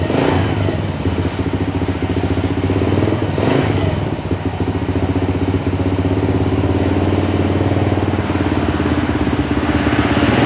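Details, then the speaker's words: Motorcycle engine rebuilt after running out of oil (piston knock, worn rings, loose con rod, scored liner), first start after assembly with fresh oil: the rough knock is gone and the idle is steady, but a hum remains from the newly replaced cam chain. "Suaranya sudah lumayan ya, lumayan berkurang, suara kasarnya hilang, tapi ada suara dengungan teman-teman."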